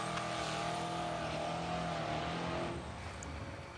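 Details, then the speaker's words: Big-block race truck engine running on race fuel, recorded from the stands: sharp fast tapping over loud engine that suddenly stops, with oil pressure fine; the engine later blew up. "You'll hear it tapping like hell. Even my wife recording from the stands. You can hear it."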